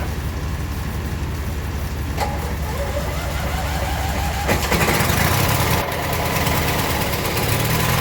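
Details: Abandoned 1996 Briggs 17hp I/C flathead opposed twin, running on its own for the first time in over ten years: rough-edged but steady idle under busy clatter, no stalling; normal idle.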